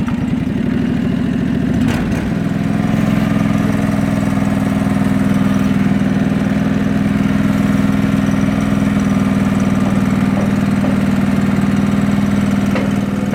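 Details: John Deere 445 tractor with newly fitted Little Buck front loader, just started: steady, even engine note at constant speed, no knocks or misses; running smoothly and healthy.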